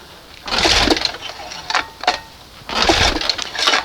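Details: 1971 Johnson 20 hp two-stroke outboard, choke closed, reeds looked fine: several hard rope pulls that never catch; won't start, plug later found black and wet, owner suspects the bottom crankshaft seal or case halves are losing compression.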